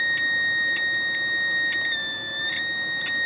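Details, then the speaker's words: Homemade 555-timer-driven high-voltage circuit with partner coils at about 1.7 kHz and 2SD2539 NPN transistor: steady high whistle with occasional crackly chattering bursts; now lights only about 10 neons, coils suspected shorting internally between windings. "Oh well now I think I've managed to short out my partner coils or get a little bit of a short in there because now I can only really like a row of 10 neons and if you if you hear that occasional chattering in there"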